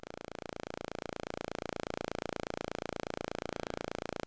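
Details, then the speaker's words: Loki synth module calibration: with trimmer 17 (VCA offset) turned fully clockwise, fast steady clicking over a faint buzzy tone from VCO2 bleeding through the envelope/VCA; fixed by turning trimmer 17 until the clicking stops. "Now, the idea is to turn trimmer number 17 until that clicking just goes away. And the clicking is caused by the effect of VCO2 on the envelope."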